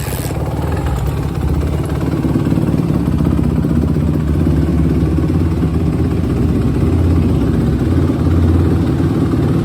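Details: 2006 Suzuki RM-Z250 single-cylinder after new OEM timing chain, valve adjustment, carb clean and air screw tune-up: crisp idle picking up cleanly on throttle, no top-end ticking or rattle; sounds good, healthy.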